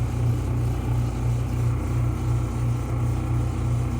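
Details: Clothes dryer running with a loud, deep rumble throbbing about three times a second; cause suspected, not confirmed. The repair starts by cutting the power, removing the screws and lifting the top cover.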